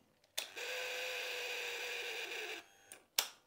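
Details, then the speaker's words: Royal Enfield Himalayan 411 fuel pump tested out of the tank with ignition on: about two seconds of steady high buzzing whine, loud because no fuel is in it; pump running dry. "I've turned the ignition on there you go can he the pump priming up it's making a strange noise because there's obviously no fue"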